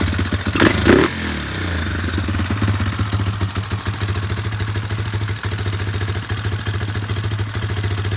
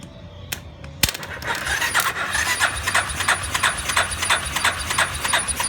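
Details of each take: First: Yamaha Warrior number 4 single-cylinder after valve adjustment, about 1–1.5 hours on rebuilt motor: brief clatter at start then thumping idle with a light fast tick; slight valve tick remains. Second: Warrior #4 single-cylinder, about 1–1.5 hours on a rebuilt motor after valve adjustment, choked, no fuel tank fitted: idles fast and even with a soft light tick, tapping much quieter than before, smoke from burning off oil; normal idle.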